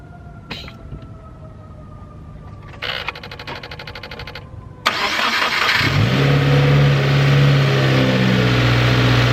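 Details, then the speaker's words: 2015+ Subaru WRX just fitted with a new Mishimoto intake, new spark plugs, an oil change and its old battery: the starter cranks briefly and the engine catches cleanly into a steady, even idle; sounds up to par. "Car sounds great. Everything sounds like it was basically up to par."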